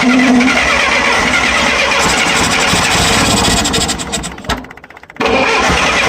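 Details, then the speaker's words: Cold start of a 1966 Clark 2500 forklift with a gasoline flathead 4-cylinder Continental engine, unused 6 months, on full choke with no accelerator pump; it cranks and catches raggedly, misfiring and stumbling while held to the floor; flooded, small carb issue. "Hold it to the floor. Yeah, she's flooded. There we go."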